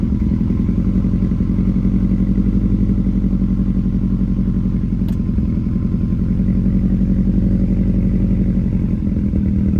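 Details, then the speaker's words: Car with an exhaust-system fix, idling after a spark plug swap: the cylinder 4 misfire code is gone but a random misfire remains during the idle relearn. Idle is heavy and lumpy with an uneven stumble, though the owner says it's better than before. "sounds pretty better now in the beginning sounded pretty rough as you can see right now it's idling fine"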